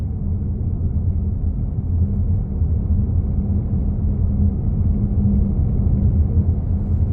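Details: 2015 Honda CR-V Touring driving with a steady, loud, low hum droning under the road rumble, seeming to come from the rear.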